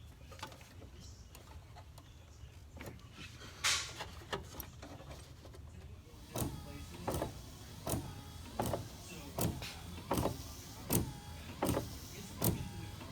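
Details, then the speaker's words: 1985 Oldsmobile 442 wipers after linkage adjustment, no longer hitting though close: even sweeps about forty a minute, soft motor hum, no knock at the end of travel; linkage clears fine. "not hitting no more but it's really close so we call that a victory you hear the wipers I like to use"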